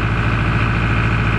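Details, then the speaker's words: John Deere 5410 diesel tractor idling on hand throttle, no load, after losing power spreading lime: low uneven beat wavering instead of holding; fuel starvation from algae-contaminated fuel blocking supply. "Starts up. Hear that losing power? Maybe it's going to come out of it, but I don't believe it."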